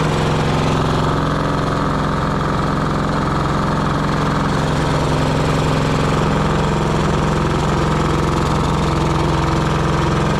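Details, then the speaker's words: Pony starting engine of a 1945 Caterpillar D7 3T, first run after sitting over 40 years: steady, buzzy idle with a faint regular tapping of about three a second under the drone; light internal knock. "It sounds like there's a little bit of knocking inside that engine, but uh I couldn't believe it. That thing fired right up."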